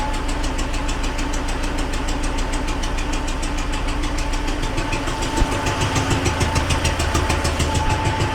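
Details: T-40AM tractor diesel at idle after sitting about a month in roughly -14°C cold, decompressor used at start; sharp regular tapping about three per second over the clatter, a persistent internal engine knock; owners plan to pull all heads to inspect.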